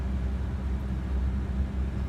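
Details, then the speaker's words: Donor-truck V8, started cold at 431,286 on the odometer and destined for an S10 swap: a smooth, even idle rumble with no ticking. It starts nicely, the power steering pump whines only briefly, and the engine runs healthy. "It's quiet, it starts nice, it doesn't tick, you hear the power steering pump doesn't whine for very long."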